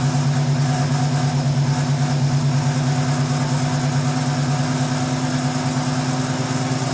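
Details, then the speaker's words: 1971 Ford Mustang Sportsroof (351 hashtag), first run after sitting 13–14 years, no coolant in it: steady, even idle with smooth low beat, no knocks, misses or rattles; slight blow-by noted. Normal idle, sounds healthy. "That sounds pretty good. I'm impressed."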